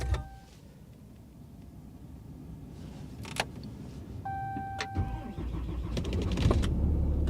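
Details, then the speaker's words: Ram diesel pickup, push-button cold start at 23°F outside: a few preheat chimes, a brief crank, then it catches straight away and settles into a steady diesel clatter with no stumbling; normal cold start. "Fired right up, man. Fired right up."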